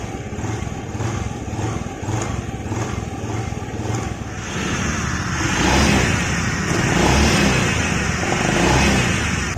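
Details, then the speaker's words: Honda Vario 110 FI scooter, light throttle after repair: engine pulses evenly and picks up with no whine; the earlier "sing sing" noise is gone, normal running. "Ya, saya gas pelan kayak pas ngetes kemarin ya. Udah hilang ya suaranya di bagian sini."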